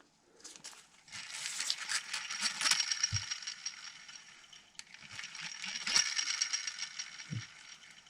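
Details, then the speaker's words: Antique vintage fishing reel after cleaning, greasing and oiling: two bursts of light, even gear ticking as the handle turns, no grinding or catching; runs freely, getting looser. "well it's working good I think it's getting looser I don't want to loosen these up too much"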